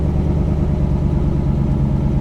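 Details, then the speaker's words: 120,000-mile salvage-auction car idling in neutral with e-brake on, warning lights likely from front passenger-side damage: steady, even low rumble with a smooth regular beat, no knocks or clatter; normal, healthy idle. "sounds good yeah she sounds nice healthy real healthy"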